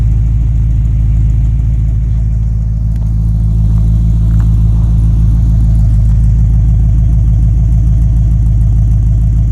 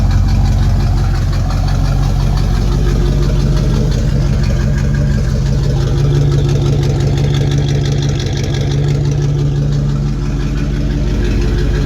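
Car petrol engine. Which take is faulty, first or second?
second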